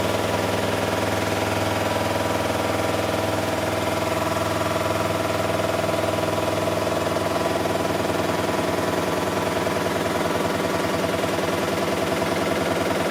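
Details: Miele Softtronic W6544 washing machine, drum loose and noisy (bearing damage questioned): steady drone of the running drum with a regular knock about twice a second; broken drum spider (Trommelkreuz) rather than bearings.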